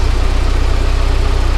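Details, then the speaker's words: Volvo 745T after the turbo install, with the idle problem traced to the ECU and fixed by a junkyard replacement: a deep, even thrum at a steady idle around 900 rpm with no hunting, running great. "car runs great now i can concentrate on everything else it runs it runs really well"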